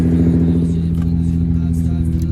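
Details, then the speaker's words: Nissan 350Z idling after the failed fuel pump assembly was fixed, the battery replaced and two bad ignition coils swapped. Deep, steady, even idle with no misfire or ticking; it runs normally again. "now the car works perfectly like normal so here's the keys as you guys can hear it's on"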